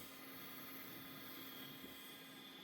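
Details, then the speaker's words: Old Quadro FX 580 graphics card in an Athlon II PC: its cooling fan gives a thin, steady, constant-pitch whirring whine, its bearings completely dead. "so sounds like a majority of the issues is with Quadro the bearings it appears to be completely killed it's an fx 580"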